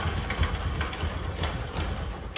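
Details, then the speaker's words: Bajaj Discover 125cc idling after kick start, timing chain already replaced: steady single-cylinder idle with light, irregular metallic ticks; noise from the magnet side starter clutch gear, not timing chain or crank main bearing. "तो ये आवाज़ किस चीज़ की है वो मैं आपको बताऊंगा, ठीक है। ये जो आवाज़ होती है दोस्तों वो होती है मैग्नेट की।"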